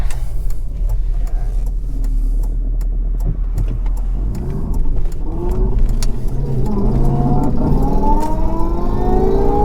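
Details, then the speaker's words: 2003 Jaguar S-Type R with a rebuilt supercharger and smaller pulley: sharp, regular ticks over a deep idle, then revving; the owner suspects an exhaust leak at the EGR pipe's reused gasket, unconfirmed. "sounds so good really really pleased that the ticking noise as well by the way I have an exhaust leak I think it's the EGR pipe"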